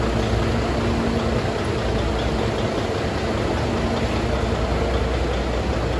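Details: Volvo FH600 16-litre D16 engine idling on first start after repair (rust in cylinder, bent valve), valve cover refitted, fresh antifreeze and oil; deep, steady diesel idle with even beat, no knocks or misses; normal healthy idle.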